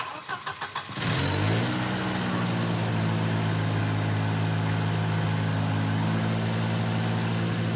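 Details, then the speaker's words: Volvo 240 after timing belt change, first run; a few cranking chugs, catches and settles to a steady idle sitting noticeably high; suspected disconnected vacuum line, an exhaust leak is also present. "she sounds pretty good still a bit of a high idle figure"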